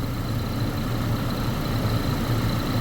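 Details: Chevrolet Colorado with a long crank after sitting (fuel or crank sensor suspected), idling with a gauge at 60 psi. Steady, smooth idle with an even low rumble and no misses, knocks or surges; pressure may not hold after shutdown.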